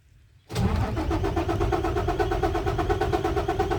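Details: Isuzu 6WF1 diesel truck hard starting with no trouble codes: starter cranks evenly at about three turns a second without firing; cause found to be stuck PCV valve plungers on the supply pump.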